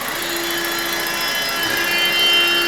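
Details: BMW E87 N45B16 after VANOS replacement. Smooth steady idle with a faint, even, light ticking and no rattle: normal injector tick. The camshaft/VANOS knock appears gone.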